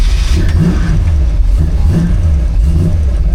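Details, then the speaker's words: 1940 Chevy truck with a big-block V8, not started in a while: it fires cleanly into a deep, steady rumble with a few throttle blips. Starts pretty well, AFRs okay but could be better. Healthy start. "She starts pretty good. The AFRs aren't bad on the truck. They're not great. They could be better. But she idles pretty well."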